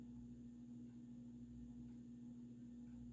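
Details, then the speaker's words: Vintage early-1980s Supreme Mark II 52" topmount spinner ceiling fan on low speed (runs fast for low): slight steady motor buzz with a light tick each revolution; owner suspects insulation or something rubbing. "The motor noise isn't that bad, actually. It's just a slight buzz and then that ticking with each revolution, which is kind of annoying."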